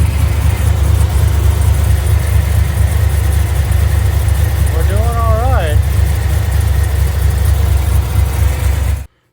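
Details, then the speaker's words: 2005 Chevrolet Silverado 6.0 LS V8 with mild cam (Madd Maxx 110 LSA), long tubes, base tune: rough, stumbling idle with many misfires on cylinders one and eight and maxed fuel trims; cylinder one ignition coil not firing. "I got a lot of misfires on one and eight. And I'm maxing out the trims, which could just be two coils"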